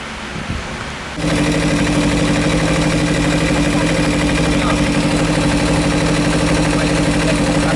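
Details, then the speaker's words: Kawasaki Ninja 300 radiator fan after its brushed Panasonic motor was repaired (a stuck brush was not touching the commutator); a steady whir over idle with no rattle, switching on around 112 °C and off around 108 °C, working normally. "ventilador tá baixando Ele desligou com 108 Acabou de desligar"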